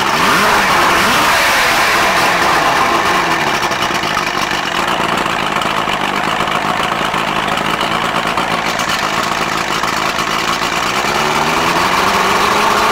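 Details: Johnson 90 hp outboard on a Boston Whaler, unrun since 2015, after the ignition box was replaced for a no-spark fault and the carbs were rebuilt: fires up and settles into a smooth, steady idle. Normal start and idle.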